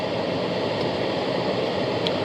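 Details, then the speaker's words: 2012 Chevy Impala after replacing the HVAC blend door actuator behind the glove box, AC on: only steady blower airflow, no more clicking or bumping from the dash. "yeah so you guys are gonna be my witness - no more clicking and bumping and all that other good stuff"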